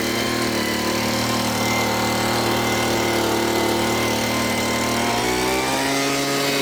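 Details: Homelite Mighty Lite two-stroke blower, repaired after a won't-start problem: it revs high and holds a steady, even buzz with no stumbling or misfire. Normal running.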